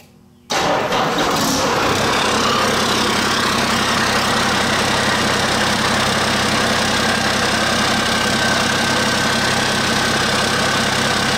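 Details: Cummins 8.3 (505 cid) diesel in a Hyster, after swapping the restrictive HX40 turbo for an HX55 with 11 cm housing, intake not yet plumbed: catches after a brief crank and settles into a steady, even idle with a faint turbo whistle; runs healthy.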